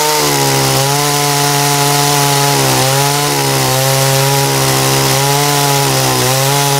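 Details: Dolmar chainsaw after carburetor cleaning and H/L screw readjustment, top speed set around 12,350–12,400 rpm, test cut: steady high-revving two-stroke scream holding pitch under load with brief dips; clean, crisp running saw.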